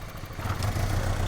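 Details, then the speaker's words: 2002 Honda Civic, cylinder 3 misfire (P0303), coils swapped and misfire followed coil to cylinder 2, later fixed by replacing coil: uneven lumpy idle with stumbling low beat and clatter; misfire from faulty ignition coil. "that's a dead giveaway that this ignition coil was bad"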